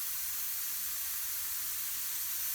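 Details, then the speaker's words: Trailer tire with inner tube being inflated to seat: constant, even high-pitched hiss as air trapped between tube and tire escapes through the rim valve hole; normal trapped-air hiss. "And then you're always going to hear some air coming out between the valve and the rim, whatever is the air that gets trapped between the tube and the actual tire, the outside of the tube and the inside of the tire."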